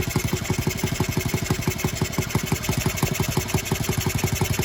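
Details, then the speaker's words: Honda Z50R at first start after restoration, cylinder head bolts loose: small single idling with a quick tinny rattle on each firing pulse, about three a second, and a head leak from the loose bolts. "out of there we got a cylinder head leak yep cylinder heads loose well that's fun it's not a big deal though"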